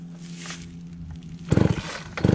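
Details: Mid-80s chainsaw, after high-speed screw adjustment cured a bog, tested outdoors: steady buzzing idle, then two crisp throttle bursts that rise and drop back cleanly. Good response; it runs healthy.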